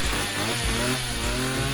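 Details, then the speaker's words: Petrol strimmer two-stroke that stopped starting. It runs after fuel is squirted into the carburettor, then sputters unevenly and dies, so the spark is fine. The fuel pipes look dodgy, and a blockage in the tank filter is also suspected. "But as you can see here, it just dies. So there's obviously not a problem on the sparks."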